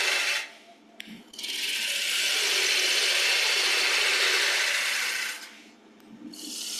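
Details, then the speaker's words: Woodturning a 7 x 3 inch blank for a Saturn bowl, switching to a sharper gouge: a steady, even hiss free of chatter, fading between passes, while cutting down to a 4-inch cylinder. A clean cut with a sharp tool. "So I don't know if you can hear there that it sounds a lot cleaner as it was cutting."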